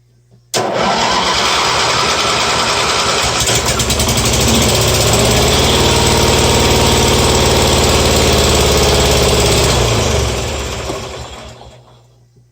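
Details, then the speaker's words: Simplicity 5116 lawn tractor with a 16hp Briggs twin, started on a chilly day with the throttle up. It catches at once and settles into an even, steady twin-cylinder run with no misses. Normal start and run. "fired for a second that sounds too bad what do you guys wanna go for a ride"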